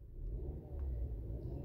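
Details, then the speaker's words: 2014 Range Rover Evoque after replacing camshaft sensor for code P0016 (previously idling high sometimes, using more fuel): starts up fine into a quiet, smooth steady idle with no knocking; normal idle. "but as you can hear car starts up fine everything running well no knocking no no nothing no idling sounds good"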